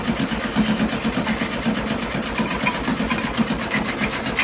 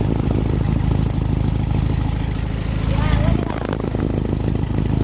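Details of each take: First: 1972 VW Beetle sat over three months in wet weather, first start attempt after 3 hours battery charging; starter churns evenly about twice per second, never catches, battery fading. No spark, ignition to be checked. Crank no start, no spark. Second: 1972 VW Beetle started for the first time after sitting over three months in wet weather, battery charged about three hours, starting fluid in the carb: a low, steady air-cooled chug with one brief rattle. Running normally.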